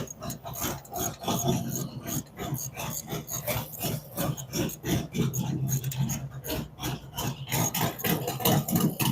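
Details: Freshly built V-twin on a run-up with a 468 cam, adjustable pushrods, aluminum intake, 5.3 injectors and Thunderx headers: a lumpy, loping idle with uneven pulses about three a second, steady and settled; healthy idle.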